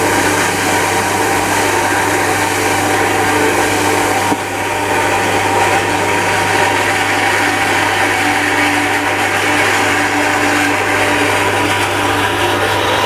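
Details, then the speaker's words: Shimizu Satelit 3-inch submersible pump with APC SC-015E as water runs out: steady harsh rushing whir growing noisier as water empties and flow weakens, running dry inside, until the APC shuts the pump off. "Mulai dari ini yang airnya semakin habis sehingga kemudian dia menjadi berisik."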